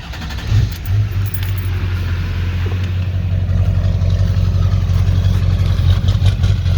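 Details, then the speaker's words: 2001 LB7 Duramax diesel with intermittently sticking number four injector, before diesel purge: idle rises and falls unevenly, about three pulses a second with rough clatter; hunting idle, cause unconfirmed, fuel pressure regulator on order. "I also have a fuel pressure regulator on the way as well so you can hear it surge"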